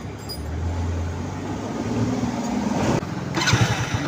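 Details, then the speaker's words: Hero Splendor Pro, noisy self-starter repaired, one-way clutch reassembled; the starter spins up cleanly and the engine catches with no grinding, clatter or drive slip, electric start now working perfectly. "सकते हो self perfectly लग रहा है अब इसके cell में कोई आवाज़ नहीं ए रहा है तो ये रेडी हो चुका है"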